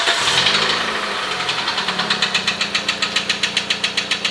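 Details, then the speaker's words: 2006 Nissan Almera N16 1.8 bought with a knocking engine, just driven across half of Kyiv. At idle, sharp, regular metallic knocks sound about four per second over a quiet engine; piston knock. "машина со стуком в моторе проехала через пол киева и абсолютно все равно она готова ехать дальше"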